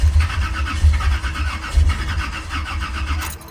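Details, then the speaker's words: Old-school V8 car after 700R4 transmission swap, battery 11.8 V, 12-volt distributor feed cable deliberately unplugged: starter cranks evenly for several seconds with no fire; crank no start from no ignition power. "it just will not start cuz you need that cable going to the distributor you need this 12 volts"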